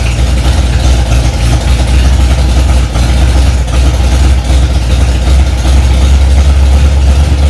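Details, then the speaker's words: 1965 Ford Mustang, freshly rebuilt 289 small-block V8, first start after priming to about 85 psi oil pressure: deep, loud, lopey idle from a big cam, steady with no knocks or ticks; normal idle. "Well, it runs."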